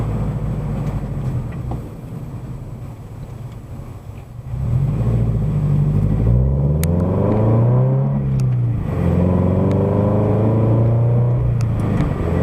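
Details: Subaru BRZ/FT-86 with SpeedFactory header and exhaust, warmed up, in-cabin at highway cruise after fixing header rubbing the debris shield: smooth exhaust drone rising and falling with throttle, no rattle or buzz; exhaust and header healthy.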